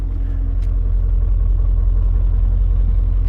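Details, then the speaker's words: Newly acquired BMW E39 M5 with completely stock exhaust, bought in rough condition: smooth, deep, fairly quiet burble at steady idle, no ticks or blowing; exhaust very quiet, normal idle. "I don't see anything else, but the exhaust is very quiet."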